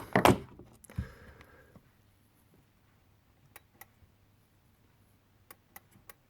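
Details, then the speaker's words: Smeg DI612CA9 dishwasher with E1 Acquastop fault, water in the base: sharp light clicks of the anti-flood Acquastop switch as its float is lifted and dropped with a torch. "you hear the clicking that is the Aquis stof switch Dody torch so that click in there move the polum floor up and down and you can hear the a stop switch clicking"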